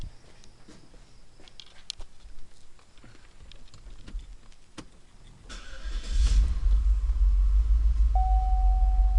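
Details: Cadillac STS V8 cranks, catches and idles with an uneven, lumpy pulse that stumbles at irregular beats; the misfire was caused by worn piston rings.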